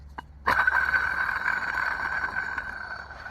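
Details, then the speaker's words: Old water pump from a Porsche Boxster 986, removed and spun by hand: rough, gritty scraping ring fading as it slows, from a failed bearing that caused the engine whine; new pump installed. "so the bearing inside the water pump is gone so that's why it's making that noise there"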